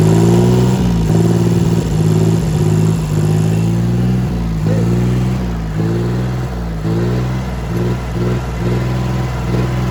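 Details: Diesel engine after a knocking-sound repair, warm and settled at idle: steady, even chug with no knock coming through; the engine is running properly now.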